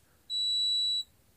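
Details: Multimeter continuity/ohm mode on a good 5.5 V 0.047 F capacitor, probes on it: a single clean high beep under a second, then silence as the meter charges the capacitor; the capacitor is good.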